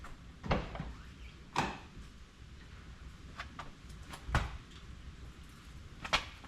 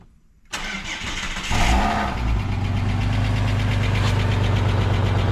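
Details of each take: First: Ford EF Fairmont after replacing the centre-section exhaust mufflers: a few clicks and bumps, then a smooth, steady low idle with no rattle; exhaust quiet and healthy, rattle fixed. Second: Ford EF Fairmont, cold start before repair: cranks and catches, then a loud idle with a tinny buzzing rattle on the exhaust beat; centre-section muffler baffles broken loose and muffler holed, cat heat shields already clamped.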